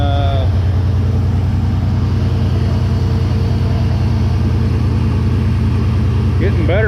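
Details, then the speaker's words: Chevy engine after an engine-mount fix, first start with the pump run beforehand: loud low beat with an uneven, stumbling pulse at idle, rough running; plug wires suspected, alternator not yet connected. "well that was kind of sort of running like it's it kind of sort of ronan"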